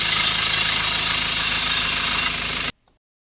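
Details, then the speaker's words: Ford Ranger T6 diesel with P0672 glow plug circuit fault, hard start and misfire history: loud but steady idle with even clatter and a strong hiss, then it shuts off. "so sorry about the noise this engine is very loud right to be honest"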